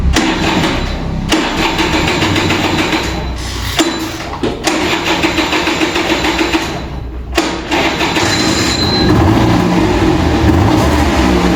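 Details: Vintage Kinetic Honda 2-stroke scooter, early-morning cold start: repeated cranking bursts with pauses on a draining battery, then a sputtering catch into a rough, uneven two-stroke idle.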